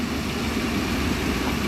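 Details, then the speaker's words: Petrol engine with codes P1132/P1152, after sealing off a vacuum leak, idling steadily and evenly: buzzy noise gone, no rattle; fuel trims now positive, suspected bad PCV valve. "I don't hear that Buzzy noise anymore that yeah that's gone so we're on to something here"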